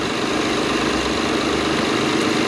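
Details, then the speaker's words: Acura TL after replacing coil and spark plug for a cylinder 6 misfire (previously rough, flashing check engine light, rich smell): steady, even idle with no stumbles; no longer missing. "uh perfect you can hear now how it's not missing it actually sounds really great"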